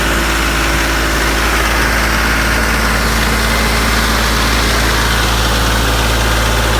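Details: Branson 3520h tractor diesel after valve adjustment for a tapping/slapping valve noise, now at steady even idle with a smooth low chug and no tapping; repair fixed it, normal idle.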